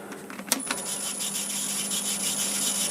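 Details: Laguna 1836 VFD-controlled wood lathe with high/low pulleys: a constant thin high-pitched belt squeal over the motor hum. Cleaning the belt helped only briefly; the cause is low belt tension, an easy fix.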